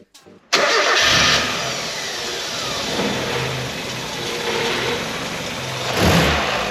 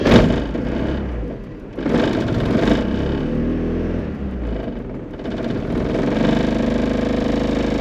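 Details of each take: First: 1994 Mazda Eunos Roadster after fresh rocker cover gasket, new spark plugs and ignition leads: cranks, catches quickly, flares briefly, then holds steady idle around 600 rpm where before it floated 300-600 and tried to stall; normal idle. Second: 1994 Mazda Eunos Roadster driving to a compression test, after new plugs and leads: engine pulls unevenly, stumbling and dropping off in bursts; clearly misfiring, cause not yet found.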